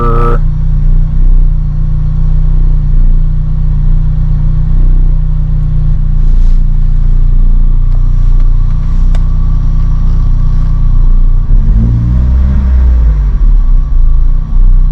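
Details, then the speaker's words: Lotus Elise at idle: steady thin whir that appeared after starting and holds its pitch regardless of rpm, revs just drown it out slightly; more noticeable inside the car; owner suspects fuel pump, possibly belt tensioner, cause unknown. "doesn't seem to change with rpm i think the rpms just kind of drown it out a little bit but it doesn't seem to change with rpm i think it might be the fuel pump"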